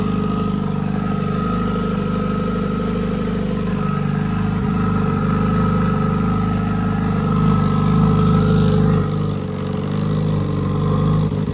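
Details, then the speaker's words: Turbo Honda Integra, first start of 2024 on last year's plugs, idling to cure newly powder-coated exhaust piping: steady, even idle with a smooth low drone and no knocks, misses or hunting; good oil and fuel pressure, running cleanly. "So the car is running right now. I'm just letting it idle because with getting the exhaust piping coated with powder coat, I do gotta do like a bacon period cycle."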